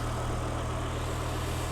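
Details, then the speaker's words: BMW E92 M3 with swapped S85 V10, MaxxECU and DCT gearbox, first start after remote mapping; cold, just started, before warm-up. Deep, even, steady idle with constant low hum, no misses or surging; diesel-like rattle is only the camera. Normal smooth idle. "And as you can hear, we have quite a smooth running engine. For some reason on camera it does sound like a rattly old diesel, but it's definitely not, I can assure"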